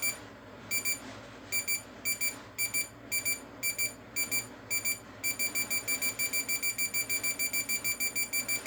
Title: DIGITAL CLOCK IS NOW BEEPING SOUND